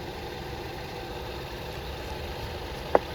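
Quiet, steady low hum with no knocks or misses, just one brief click; the engine is idling evenly.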